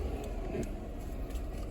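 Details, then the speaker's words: Toyota Camry V6 after replacing cylinder 6 ignition coil for misfire and idle vibration: engine starts and settles into a steady even low rumble, no stumble or shake; live data misfire counts stable, smooth healthy idle. "Now it's at perfect, no shaking whatsoever. The car is running smooth."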